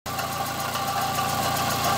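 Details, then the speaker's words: Fiat Palio, engine running with a constant whirring whine over it, from the water pump. "Bueno no sé si le pareció el sonido pero ya sé que es la bomba del agua"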